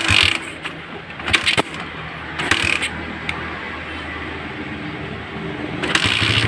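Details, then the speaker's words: Suzuki Satria FU150 with a Keihin PE28 carburetor: low, even idle thrum with a few clatters and knocks over it, picking up and holding a clean idle. "normal ang tren."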